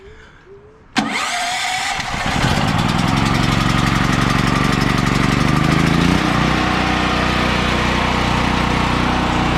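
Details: Generator cold start on a bit of choke during first test run of a new panel interlock install: catches instantly, then settles into a steady, even run with no stumbling or hunting; normal start and idle.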